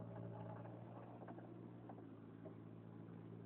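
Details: Car makes an annoying sound from the driver's side when pressing the gas, sometimes braking, stopping if held: steady low drone with a droning tone and faint irregular rattles; owner suspects timing belt, unconfirmed.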